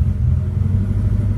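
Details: Cold engine just started on a newly installed Pandoo EFI-4 programmable injection running its base fuel map: a deep, lumpy, slightly uneven rumble at a rough idle. It runs but the map still needs tuning.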